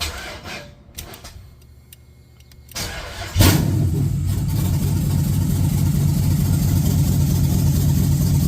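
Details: 1986 Chevy Caprice with swapped 5.3 LS V8, cam and 4L60E, gauge temp 74, still on a 60 tune; quiet, then starter catches and settles into a steady, even, lumpy idle: starts and runs fine.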